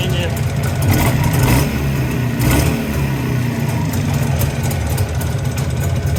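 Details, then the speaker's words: Jawa 350 type 638 two-stroke at 166 km, fully cold start: quiet for about 30 seconds, then a hollow, uneven metallic clatter at idle that is getting worse; owner suspects the piston group, fears the crankshaft; piston slap. "колокольня Я думаю буду разбирать поршневую и смотреть что там происходит"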